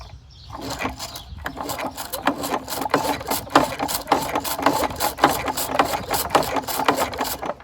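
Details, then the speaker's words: 1969 Lawn-Boy bricktop, model 3055, not run in years, recoil lubed after a suspected rust ridge: recoil pulls give quick ratchety clicks as the engine spins evenly with no binding or hard spot; turning over freely. "Seems to be pretty good. Won't have much of an issue with that."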